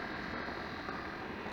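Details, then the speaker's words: Dishwasher after wash-pump repair, running about fifteen minutes and heating water: quiet steady whir, no knocking or grinding; earlier pump noise much reduced and tolerable, owner considers shimming the impeller so it doesn't rub. "Le bruit de la pompe, c'est un peu réduit, beaucoup même. Là, ça va, c'est supportable."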